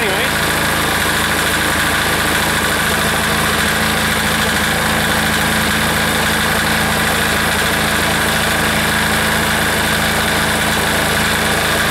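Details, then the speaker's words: Air-cooled diesel engine after reassembly, run at full throttle: a steady idle with a slightly uneven, hunting beat under a constant drone; it sounds like it is starving for fuel. Rough running. "okay still sounds like it's starving a little bit for fuel I'm not going to let her sit there and run like that as long as the will anyway"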